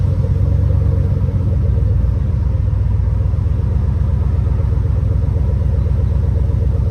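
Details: Cadillac truck that sat unused over 4 years, first start after fresh oil and filter, new coolant, old gas siphoned and replaced with new 91, new battery: deep, even rumble holds steady several seconds, no knocks, misses or ticks; normal running.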